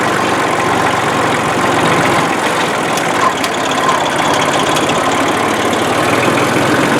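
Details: 1994 Ford/New Holland 1715 compact tractor driven after replacing a rusted, stuck clutch: an even, steady diesel clatter with no slipping, grinding or clunks as it moves off. The clutch now disengages and the tractor runs and drives normally.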